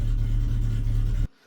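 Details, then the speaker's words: Classic Mini Clubman Estate with a dead battery, just started using an Auxito T4 jump pack after a hard crank: deep, even low rumble at a steady idle, running normally. "There we go, it started. looks like that took quite a bit of a hit to start, but it did it."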